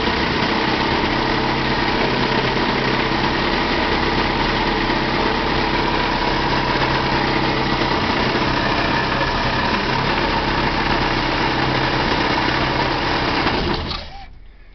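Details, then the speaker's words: 1966 Ford Ranchero at low idle with air conditioning on and blowing cold: steady coarse growl and rumble; original compressor clutch/bearings suspected, owner leaning toward replacing rather than rebuilding the compressor. "so that's the rumbling that's the rumbling sound that the other mechanic was talking talking about"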